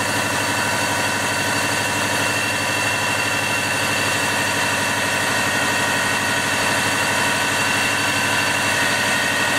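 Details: 1999 Subaru, 215,000 miles, started after alternator/battery low-voltage repair: smooth, steady idle, no stumbling, ticking or knocking; normal idle.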